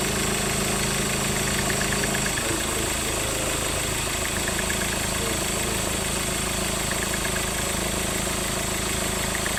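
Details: Ford Ranger idling with a steady whirring hum and faint recurring chirps; the belt tensioner and alternator bearing are worn and need replacing.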